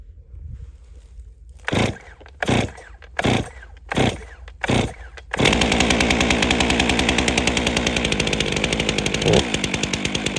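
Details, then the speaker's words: Chainsaw with electronic carburetor control, ground start: five rope pulls, catches and settles into fast even two-stroke idle; healthy start and idle. "it will go automatically into high idle at which point in time I can pull the trigger and put it in regular idle"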